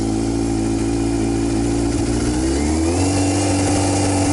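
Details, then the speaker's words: Used salvage-title motorcycle with almost 10k miles, on choke after sitting about two months: the steady idle climbs smoothly in pitch by itself and holds higher; the owner thinks it runs a little rich. "I'll go take the choke off. This seems like it runs a little rich."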